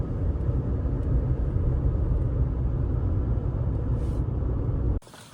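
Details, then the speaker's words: 2019 Toyota RAV4 on newly installed Michelin Defender2 225/65R17 all-season tires, replacing hard, humming Kumho tires: steady low road rumble at highway speed with no hum or pulsing drone; quiet, healthy tire road noise. "And the tires are very quiet now. Smooth. Handles very well."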